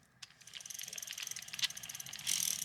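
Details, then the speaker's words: Mid-1990s Shimano Curado Bantam CU 201 baitcasting reel just reassembled after cleaning, greasing and new bearings; the handle turns with fine, even ticking and no grinding. Smooth retrieve, though the owner later suspects a slightly bent spool shaft rubbing. "Moment of truth. Oh yeah, look at that. Super smooth."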